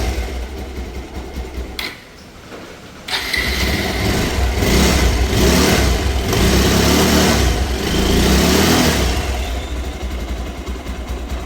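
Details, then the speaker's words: Bajaj Pulsar 220F (BS4) after full engine rebuild for a seized engine with broken connecting rod and damaged head and bore: brief crank, then catches, revs up cleanly and drops back with even firing and no knocks; normal running. "బండి start చేసిన చూసిరు కదా మొత్తం complete గా start చేసి washing చేసి మంచి neat గా చేసిన బండి ఇట్లా పర్ఫెక్ట్ ఉన్నది అనేది చూడండి"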